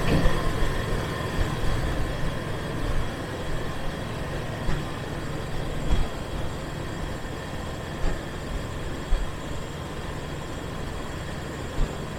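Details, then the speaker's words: 2002 Jeep Wrangler TJ 4.0 engine idling after serpentine belt tensioner and idler replacement; steady, even drone with no squeal, chirp or rattle, idler confirmed turning; belt drive working normally. "Everything works like it's supposed to. That idler looks like it's not even moving, but I'm pretty sure it is."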